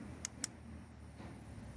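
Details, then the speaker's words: 2007 Chevy Colorado 3.7 with power locks not working: after the switch is replaced, two crisp switch clicks, then no answering lock relay click; relay not engaging, voltage present. "suena mejor el clique o del switch pero no oigo el riley recuerden que le hace click y sonriente"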